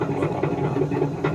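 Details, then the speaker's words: Samsung front-load washing machine with a drum that is noisy and shakes during spin and wash: an uneven rumble with repeated thumps a few times a second as the drum turns, caused by a broken rear drum spider arm joining the drum to the motor wheel. "இப்ப நம்ம பார்த்துட்டு இருக்கிறது வந்து ஒரு front load washing machine drum வந்து ஓவரா வந்து noise வருதுன்றது வந்து கம்ப்ளைன்ட் அதாவது வந்து நம்ம ஸ்பின் வைக்கிறோம் இல்லைன்னா வாஷ் வைக்கிறப்போ வந்து ஒரு நாய்ஸ்"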